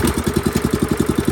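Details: Small lawnmower engine started on fuel and choke: crisp, even pulses at about ten a second with no skips or knocks; fires cleanly and runs healthy.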